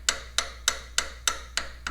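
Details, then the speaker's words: Farmall H tractor engine rocker arm rocked by hand: sharp metallic clacks about three a second from a worn, egg-shaped bushing with 13 thousandths clearance to the shaft, out of spec; similar to the engine knock heard when running, suspected source. "Just working it by hand, you get a very similar knock to what we heard when the engine was running."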